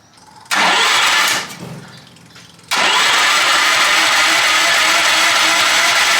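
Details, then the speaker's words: Half-scale NASCAR Mini Cup race car starting after a new clutch and chain were fitted: a short crank catches, dies back, then fires into a very loud, raspy, steady run through an unmuffled straight pipe, sounding healthy. "Holy smokes. This thing is so loud. Straight pipe."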